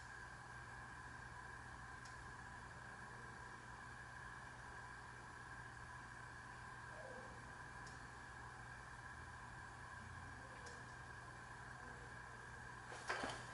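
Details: SMC Laguna metal-blade industrial ceiling fan started on a decade box at 5 µF, drawing about 0.19 A, getting up to speed: quiet steady motor hum, soft even whir, no ticking or scraping; normal running.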